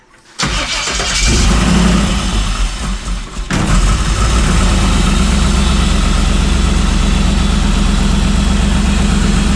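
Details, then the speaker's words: FJ45 rock crawler engine starting and idling with a fast, sharp puffing tick; header wrap caused the header to crack where the pipes merge, causing an exhaust leak to be welded. "I put header wrap on this thing and it was terrible so it just kind of broke where they all merg together"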